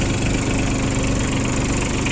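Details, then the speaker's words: Yanmar Ke-3 mini tractor with rotary tiller, 245 engine hours: even steady diesel chug with no misses, knocks or rattles, responds well to throttle; normal healthy idle. "Двигатель работает ровно, сигнал сигналит. Сейчас, соответственно, давайте нажмем немного на педаль газа, посмотрим, как двигатель отзывается. Работает ровно, отлично."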